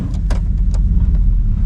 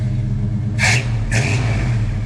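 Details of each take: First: Grandpa's old truck, 241,000 miles, with rotted-out mufflers and tailpipe, warning lights on, before new exhaust: deep loud unmuffled rumble with uneven lope, a little rough and joggy; rotted exhaust. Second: Healthy V8 in an old truck: full-throttle test drive after an engine install and new exhaust replacing rotted mufflers and tailpipe. Deep, steady rumble pulls evenly with no knocks, misses or rattles; the old throttle bodies are at their limit.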